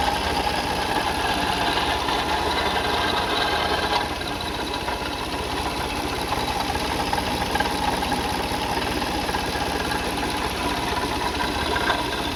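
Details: 2004 Toyota Sienna idling: loose fast rattle about three beats a second over a steady engine note; owner suspects a pulley, water pump or timing belt, and the timing belt later snapped while driving.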